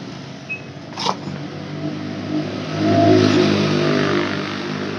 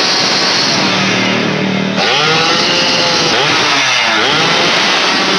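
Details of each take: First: Yamaha F1ZR two-stroke motorcycle that won't reach full throttle: revs climb briefly then drop and fade instead of winding out; suspected end-of-range shortfall; throttle hesitation at high rpm. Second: Yamaha F1ZR two-stroke after repair of weak ignition traced to a faulty electrical part: revs rise cleanly and climb freely to full revs with no stumbling; normal revving.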